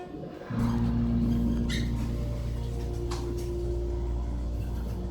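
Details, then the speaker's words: 1970s Otis hydraulic elevator submersible pump, heard from the cab going up to floor 3, believed installed mid-to-late 70s: pump kicks in with a sudden steady hum and low drone, even pitch under load; smooth healthy run. "Listen to this submersible pump. It's really epic."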